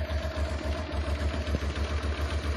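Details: Honda Transalp (around 1996) carbureted engine: low lumpy idle with uneven, loping beats and hunting, gauge unstable; rough idle from incorrectly set air-fuel pilot mixture screws.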